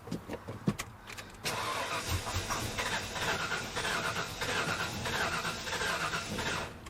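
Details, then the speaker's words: 1997 Ford F-250 small-block V8 that sat a decade: starter cranks in bursts, then long crank with ragged firing that never catches after starting fluid; has spark, owner worries about old fuel in injectors. "so that's that was a fluke probably starting fluid it almost almost started"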